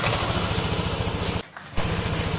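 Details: NMAX 155 scooter after replacing a defective cam chain tensioner that caused an unusual engine sound: steady, even putter with a clean regular beat, no ticking or rattle; now quiet, normal idle.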